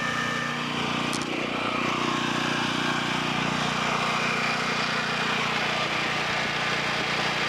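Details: Low-hours 11hp Generac generator engine, generator head burnt out, after freeing stuck carburetor idle control: steady, even drone at constant speed with no hunting, knocking or misfires; running cleanly.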